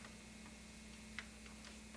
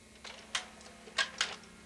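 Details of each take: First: VCR tested with a tape in fast forward and rewind; sparse irregular ticks over a faint steady motor hum while the reels stay still, the drive system makes noise but won't move the tape, a reel drive failure. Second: VCR during a repair check: a few light clicks and a short whirr as the cassette is drawn in over a faint hum; tape loads normally; normal tape loading.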